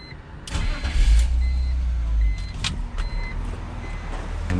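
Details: 2001 BMW E46 325i wagon after fuel pump assembly replacement, fixing intermittent then permanent no-start (suspected pump sticking when hot). Brief crank, catches at once, settles into steady even idle; normal start and idle.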